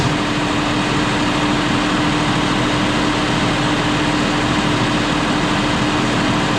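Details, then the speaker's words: John Deere 5067E diesel tractor at 30 hours, after tightening loose intercooler boost hose clamps that caused hissing and boost loss: steady even drone with constant mid-pitched hum, no knocks or whistle; running better, normal running. "but I do feel like, though, that it's running a lot better than it was now that I've tightened them clamps up."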